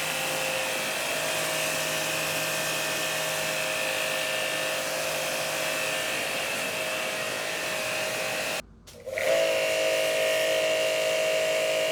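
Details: Hanabi JBD 8003 induction-motor pressure washer, 127V/110V, cleaning with no leaks at the fittings: even high-pitched motor whine holds steady, brief cut-out, then returns to the same tone; normal running.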